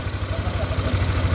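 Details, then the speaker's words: Yamaha NMAX scooter at idle after adjusting the loose cam chain tensioner and refitting the throttle body: a steady, even low putter with no timing-chain rattle or clatter. Smooth again, normal idle. "Nah sekarang suara motornya dia sudah halus kembali ya beda dengan waktu sebelum kita melakukan penyetingan untuk tensionernya atau tonjokan ketengnya ya"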